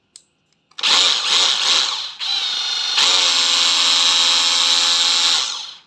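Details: Used Hilti TE 6-A36 36V brushless cordless rotary hammer, said to run smooth: a steady, even high-pitched whine after a couple of short trigger pulls, with no rattle or grinding. Healthy tool.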